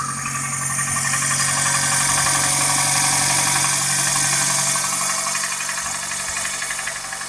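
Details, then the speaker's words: 21-year-old engine at cold idle after a light overnight frost: sharp, even metallic tapping about four times a second from inside the engine; cause unknown; owner says the engine needs repair anyway. "Хороший стук всегда сам вылезет, да? На 21-летнем двигателе уже и пора бы."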